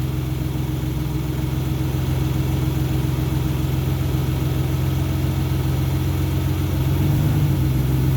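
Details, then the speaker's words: 2002 Isuzu Trooper LS, 3.5 V6 6VE1 with 4L30E transmission, after alternator replacement ended AC ripple-caused stalling and surging: steady low idle holds while shifting through gears, no dips or stumbles; normal running in gear. "the new alternator fix all the drivability issues and everything works great no more styling or dying when you put in gears or when you're driving it and no more surging as well"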